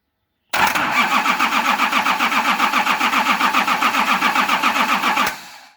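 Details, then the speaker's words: Nissan LD28 diesel engine with a partly repaired starter, injector lines cracked for bleeding, cranks evenly at about four compressions a second without catching; the injection pump's fuel cut-off solenoid was not powered, so no fuel flowed. "The problem was all along that I hadn't thought about, I hadn't even considered the fuel solenoid. So when you turn the ignition on, the solenoid plunger is drawn in, just like a starter solenoid plunger is drawn in."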